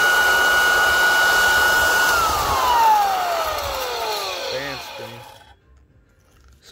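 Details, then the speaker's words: Bona floor edger sander, pad came off: steady, high, even unloaded motor whine then smooth wind-down after switch-off; owner suspects an internal belt is off; indicator light doesn't come on. "the belt is off or something there must be a belt inside there"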